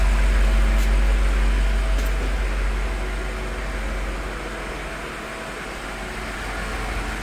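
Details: 2022 BMW X6M Competition at hot idle: a deep steady hum with a faint even pulse about three times a second, mostly from the front; it appears once the engine reaches 210 degrees and not when cold; the owner asks whether it is normal.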